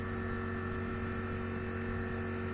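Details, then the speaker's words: Ice cube maker under repair, fan that had seized now replaced and the jammed pump freed: even, steady hum with a constant low drone and no knocks or rubbing; the replaced fan spins smoothly and runs normally. "Nah, untuk kipasnya, kami sudah menggantinya. Kipas anginnya sekarang berputar, tidak seperti sebelumnya."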